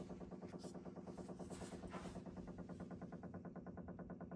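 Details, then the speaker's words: Low steady hum with rapid, even pulsing carried through the pipes feeding a Delta shower valve and a toilet, stopping when any of three supply valves is shut; water hammer from a failing pressure-balance cartridge, fixed by replacing it. "I'm not sure if you all hear that. Sounds like a motor"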